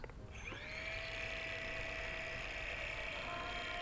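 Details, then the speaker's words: D3634 Air (QZ S8) drone after a crash: thin high whine climbs and holds steady with no gear chatter, a motor spinning free; flier believes one motor is spinning in the void, pinion out of mesh. "Je crois que j'ai un moteur qui a lâché l'affaire. Oh oui, j'ai un moteur dans le vide, les amis, je crois bien."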